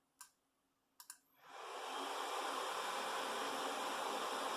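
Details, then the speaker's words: Intel Pentium D 820 Windows 10 PC fan manually set to 100% (normally runs 20–25%): a few clicks, then a rising whoosh settling into a loud, steady airy roar strong enough to vibrate the desk; a normal fan at full speed. "I can feel the fan vibrating the desk. That's how much that thing is going."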